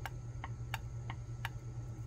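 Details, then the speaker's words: Mercury inline-6 (1150) CDI distributor trigger disc, bowl-warped and higher on one side, gives five crisp pops about three a second when flexed by hand; the owner suspects reversed reassembly, and the fault causes weak or no spark. "See how it kind of pops? You can hear it popping. And not only is it warped, where it's kind of bowl shaped, but it also apparently was a little higher on one side than the other."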